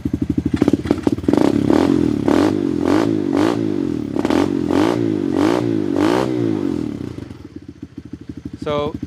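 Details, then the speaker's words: Tao Tao Coleman 125 ATV, still cold, idling with newly fitted small exhaust silencer and Nibbi carburetor; small steady single-cylinder thumps with a few gentle blips settling back cleanly, normal cold idle. "that sounds pretty good. I like that little that little silencer on there."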